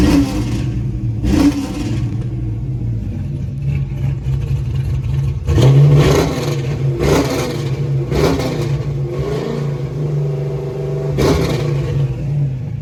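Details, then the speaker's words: Pontiac GTO, warm, after new spark plugs: repeated throttle blips, each with a slight hesitation and an uneven note before catching. Owner still hears a stumble and miss off idle; cause unconfirmed. "still think it has a Miss in it um it still sound a little funny I won't know until I drive it so but I still I still kind of hear to stumble in it"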